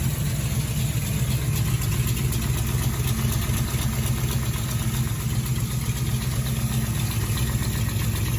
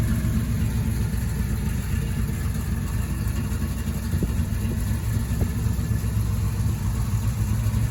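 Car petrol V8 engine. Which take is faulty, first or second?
first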